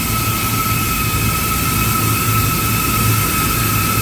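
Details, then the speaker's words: Walk-in freezer condensing unit compressor under heavy load: loud, strained drone with pulsing low hum and high whine, did not quiet after about 5 minutes, current rose to about 12 amps then shut off. "So after about I'd say 5 minutes of running, it did not quiet down. The current went up to about 12 amps and then the guy shut off"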